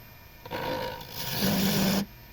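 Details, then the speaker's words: Wood lathe turning a beech dibble's skinny end: rough scraping cut with a low buzzing hum building as the tool bites; chatter vibration from the unsupported end of the workpiece. "and you hear the vibration from an unsupported end and now you don't."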